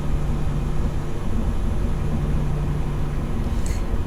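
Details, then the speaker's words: 2008 GMC Sierra with an intermittent hard-crank problem, restarted about 10 minutes after shutoff following a new fuel filler cap: catches quickly and settles into a smooth, steady low idle with no misses; normal idle after restart. "okay let's try it again see what happens cranked pretty good"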